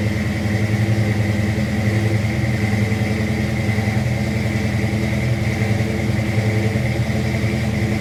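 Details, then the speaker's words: Fox-body V8 with Trick Flow Stage 1 cam, roller rockers, aftermarket heads, shorty headers, X-pipe and Flowmasters with 2.5-inch tailpipes: lopey, choppy idle with a deep exhaust burble and no ticking or knocking; normal cammed idle. "This is a TrickFlow Stage 1 camshaft with 1/6 roller rockers, Canfield heads, X-pipe, Flowmasters 2.5-inch tailpipes. That's pretty much it, and shorty headers."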